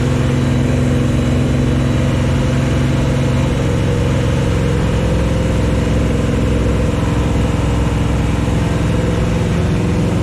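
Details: 1974 Chevy Nova with a new Chevy 350 V8 on first start: a steady, even fast idle of about 2000 rpm with a smooth, unbroken rumble during cam break-in. Normal. It was shut off early for oil leaking from the valve covers, which had no PCV valve or breather.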